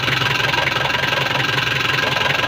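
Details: Nissan Frontier after replacing a seized clutch release bearing that was rubbing the clutch cover: with the clutch pedal pressed, an even, pulsing idle with no squeal or rubbing underneath; the noise is fixed and it sounds healthy.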